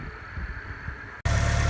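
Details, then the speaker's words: 1987 Porsche 944, first start after fitting a new set of flow-checked injectors (following seal, belt, roller and water pump work): after a short pause it fires and holds a smooth, even low idle with no stumble; runs healthy, though oil pressure builds slowly. "So once I got the new injectors in, I decided to fire it up, and as you can hear, it sounds really good."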